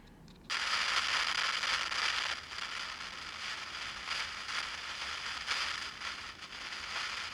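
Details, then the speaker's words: 1960 Olympic AM/FM tube tuner powered through a dim-bulb tester: irregular crackling and sizzling bursts, mostly high-pitched, coming and going with no rhythm; silver mica disease suspected, not confirmed. "it's funny it sounds like silver Mica disease already and I'm still on this bulb"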